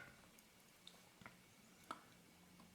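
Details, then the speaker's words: Hasselblad Planar C 80mm f/2.8 T* lens leaf shutter at 1 second, out of exposure: sparse, dry ticks with long gaps as the slow gear is nudged; slow-gear escapement sticky with old oil. "the slow gear is actually way too sticky with old oil."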